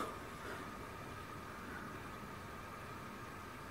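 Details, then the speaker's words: Small cooling fan of an Imax B6 mini charger after disassembly and lubrication with Litol-24 grease to cure an annoying hum; now quiet, even airy whir with faint steady tone, no buzz or rattle, fan spins freely — lubrication successful. "что видно только шум небольшой но никаких посторонних звуков не наблюдая можем считать что смазали мы его успешно"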